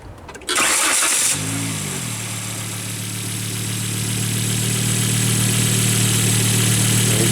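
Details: Start then smooth, even idle with steady low hum on a 2000 Volvo S70 2.4 L naturally aspirated engine, right after replacing spark plugs torqued to 18 ft-lb and coil bolts refitted; starter whirs briefly, catches cleanly, sounds healthy.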